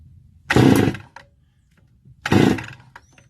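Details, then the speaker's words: Stihl FS280 brush cutter two-stroke, engine deliberately run hot, spark confirmed: two short pull-start rattles about two seconds apart, never catching; hot no-start that worsens as engine heats, also stalls cold, cause not yet found. "You see the problem gets worse as the engine gets hot. Now it will not start at all."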